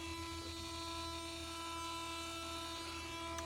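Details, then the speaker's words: Mercedes SLK230, warm engine, key on but not running, new since a shop visit: steady low hum with faint whine persists on the other side of the engine bay after the buzzing unit stops; owner unsure, possibly a coolant pump. "But as you can hear, I'm still getting a secondary hum over here on this side as well."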